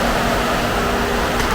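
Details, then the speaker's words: 2013 Chevy Equinox Copart rebuild, started after a battery post issue: smooth even idle hum under steady cooling-fan rush, no knocks, ticks or stumbles; engine idles cleanly. "So let's, again, now let's crank it. Guys, she sounds good."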